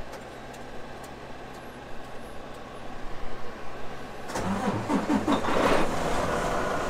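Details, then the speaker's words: Freightliner diesel truck after priming the fuel filter housing with a homemade pump pushing about a gallon of diesel: steady uneven cranking for about four seconds, then catches and settles into a firm running rumble; cranks and starts. "perfect you see the priming helped a lot so it helped out a lot with that priming pump we didn't have to actually manually prime it no more"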